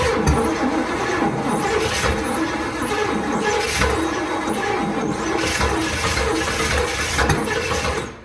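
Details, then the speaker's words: 1979 Cadillac Eldorado with Oldsmobile 350, first start after 14 years sitting, very cold: long crank with uneven thumps and faint squeal, never catches; owner suspects battery going dead, later starts. "She wants to. She's getting tight on me. Now, she's starting to feel out the carburetor. We got some feeling there. Maybe the battery's going dead."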